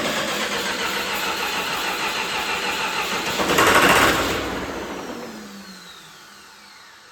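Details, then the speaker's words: John Deere 450C bulldozer diesel, reassembled, in neutral with a little throttle: steady cranking surges briefly, then winds down falling in pitch with no firing; fuel shutoff solenoid not powered. "All right, something is not right. I'm gonna check for power going to the fuel pump quick, make sure that that's working."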